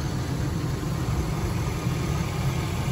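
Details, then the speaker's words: 2003 GMC Sierra Denali with Quadrasteer, all stock 6.0L Vortec V8, slightly below-average mileage, heard at idle under the open hood: smooth, even deep rumble with no ticking, knocking or pinging; healthy engine. "hopefully you can hear the engine there's nothing abnormal no knocking no pinging everything sounds the way it should which is exactly what you're looking for when you're buying a a truck of the this kind of model"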